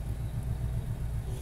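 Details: 2011 Ford Crown Victoria idling: deep, steady low rumble with an even pulse and no knocks or misses; smooth, healthy idle.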